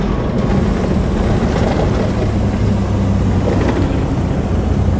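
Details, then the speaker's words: 2004 Volvo truck RV hauler with a ZF Meritor autoshift, engine brake on high, throttle lifted at highway speed on a gravel road: deep, steady, even rumble as the engine brake slows it without wheel brakes; working normally. "as soon as I lift my foot off the throttle you're going to hear the engine brake helping us to slow down without applying any mechanical brakes on the wheels"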